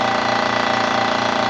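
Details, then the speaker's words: Gast 1LAA oilless piston compressor, 1/6 hp, rated 50 psi continuous, bench tested after overhaul: steady, fast, even pulsing hum with some normal vibration and air hissing from the bleed valve as pressure builds, no knocks; healthy compressor running. "it's a reciproc reciprocating piston compressor so there is a little bit of vibration and noise to it that's normal and also you hear the air hissing which is my pressure uh leap out"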